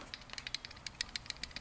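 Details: Jeep Wrangler with AC evaporator and low-side line icing, compressor not cycling off: light, sharp clicking rattle, six or seven ticks a second, from a loose part inside the failed old AC low-pressure switch, since replaced.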